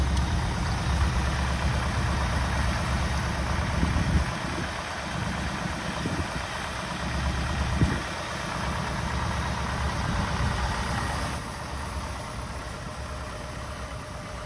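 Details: 1964 Buick Riviera V8 revived after 23 years sitting, recorded at the tailpipe with the idle raised, charging at 13.2 V: deep, even V8 burble with no misses or knocks. A steady, healthy idle.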